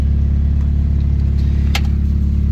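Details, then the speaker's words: Honda EK Civic with a swapped SOHC VTEC engine, running again after nearly 3 weeks of not starting and many parts replaced. The P1259 (VTEC) code was cleared. Steady, even low idle with a constant rumble and no knocks or stumbles: normal idle. "But I'm happy the car is running. It's working."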